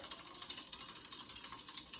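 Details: Casablanca Four Seasons III ceiling fan with builder blades, running reverse on high: fast, light clicking ratchet over the fan's hum, also occurs without spin-down; mechanical tick, source not pinned down.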